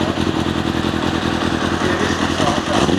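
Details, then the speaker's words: Kawasaki ZXR400 after carb strip, jet cleaning and new air filter, carbs not yet balanced: uneven, lumpy idle, seemingly running on three; revs cleanly above about 3000 rpm but bogs below on full throttle. Owner suspects partly blocked idle jets or mixture screws. "it initially sounded like it started on four but then it conked out and when we went to restart it it sounds like it's sort of off running on free revs cleanly if it's above sort of 3000 RPM tight if you give it Full Throttle below that it tends to bog for slight hesitation"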